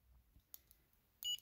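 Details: Two soft button clicks, then one short high-pitched beep from a small IV-21 VFD clock's controller, confirming the press while adjusting boost-voltage brightness back to mid-range (about 1.15 W, 235 mA at full brightness).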